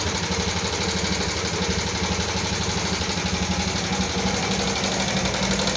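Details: 2014 Yamaha Jupiter MX carburetor motorcycle brought in for rough engine sound: fast, steady light "kletek-kletek" clatter about four ticks a second over the idle; top-end ticking, possibly loose valve clearance, not confirmed.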